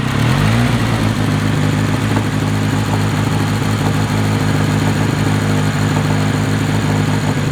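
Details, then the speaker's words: Honda KRZ after the timing was reset: a quick blip, then a steady, even idle that holds speed without hunting or stumbling; engine idles normally. "we've already planned on taking her to it that actual tear but as you can hear see Idols now which is great part of that was making sure we set the timing over there which is one thing you always want to do"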